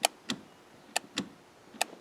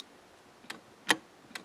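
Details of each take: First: Range Rover shift interlock solenoid, foot on brake pedal: sharp clicks in pairs about a quarter second apart repeating roughly every 0.85 s as the solenoid pin jams; shifter moved without pedal; binding shift interlock solenoid. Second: Range Rover shift interlock solenoid, ignition on, foot on brake, micro switch pressed: three crisp quiet clicks as the pin snaps in and out; circuit working, normal solenoid actuation.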